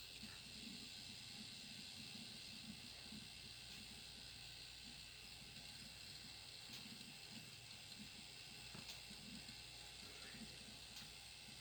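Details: Alienware Aurora R7 with 850W PSU: quiet steady high hiss with faint whine, occurring only when the reference GTX 1080 is under gaming load.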